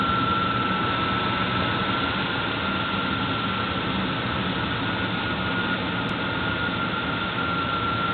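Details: Engine running steadily with a thin, constant high-pitched whine from the belt area, pointing to the accessory belt drive; cause unclear.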